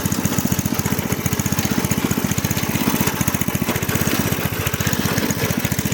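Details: Craftsman rototiller with a Briggs & Stratton 5.5hp I/C engine, left outside in the garden with water and rust in the fuel tank; after the tank was rinsed and refueled, a quick, even put-put at steady speed with no sputter, surging or knock: normal running.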